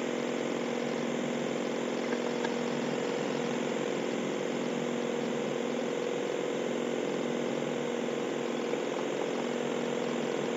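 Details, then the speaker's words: 1998 Mazda 626 at idle: idles at about 750 rpm, then with headlights, defrost and AC switched on it sags to about 500 rpm and runs low, uneven and loping, shaking badly; rough idle under electrical load. "Engine is shaking like crazy now. I'm going to go turn all the accessories off. It was down to maybe 500 RPM with those accessories on."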